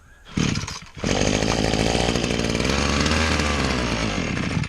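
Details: Trimmer with Maruyama two-stroke engine, somewhat temperamental to start; a couple of false catches, then fires on the throttle lock and holds a steady high buzz. Runs fine once started, normal running.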